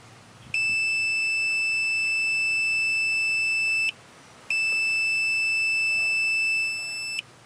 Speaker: Now to test the wiring, I have a second person at the front of the car that's going to depress the curb detector arm. So here we go, and we'll hear the beep inside the cabin.